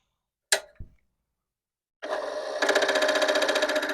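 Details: Commodore PET 4040 dual disk drive with replacement main board, at power-on: two sharp clicks then buzzing mechanical chatter about four per second; cause unknown, suspects drives, small board, motherboard, power supply/capacitors or cable.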